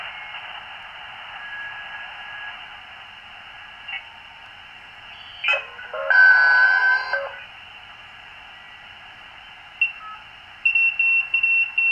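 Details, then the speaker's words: Teensy 3.5 SDR receiver after adding 600-ohm isolation transformers: soft even hiss between stations with faint blips, former burble, whine and encoder clicking gone; some atmospheric-like noise remains with antenna removed. "now what sounds like atmospheric noise in the background you usually would go away when you pull the antenna that's still somewhat evident"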